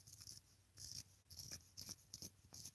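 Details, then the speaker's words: Redcat Racing Kaiju RC car: quiet, scratchy rasps in short bursts as a small ball bearing is flicked round by hand. The bearing is rough and gritty, judged junk, and replacement parts will be ordered. "hear that that bearing's junk dang it all right so looks like we'll be ordering some pots here why is that bearing junk that bearing should not feel like that man that's not cool"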